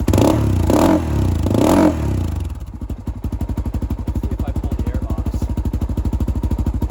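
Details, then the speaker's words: 2007 Honda 400EX with choke off: revs rise sluggishly on throttle then settle to thumping idle near three beats a second; no longer dying but still bogs, too rich. "ax that makes it better though we're too rich down I'm going try to take it for a ride and see uh going take it for a quick ride and just see how it rides under a load um but yeah when I give it gas again it's not dying like it was before but it still kind of has that fog"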